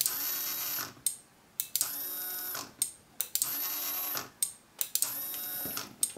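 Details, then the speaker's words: Iron Man suit faceplate servo with added 6 V relay switching its motor power (motor shorted when off for braking): sharp relay clicks bracket short bursts of high servo whine, about four times. Normal servo operation with relay click. "so um if we hit the switch we should be to hear the relay clicking and the servo still"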